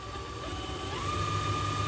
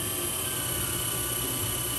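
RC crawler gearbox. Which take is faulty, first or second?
first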